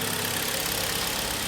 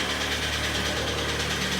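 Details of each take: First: 2013 Kia Sportage G4KD 2.0, 101,000 km, after engine rebuild for severe piston knock that began on a sub-zero winter start, heard from outside: smooth, even idle with steady hiss, no knocks or misses; normal idle. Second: Kia Sportage G4KD 2.0 petrol, 101,000 km on odometer, northern car: very heavy steady knock at idle about three times a second; started knocking at a cold winter start after unsuitable oil; piston slap.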